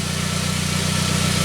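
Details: 1999 Saab 9-3 after its crank-no-start from a weak sensor signal was fixed; the crank signal now reads 1.3 V cranking versus about 200 mV before. Smooth, even idle with a steady low rumble and no misses, stumbles or ticking.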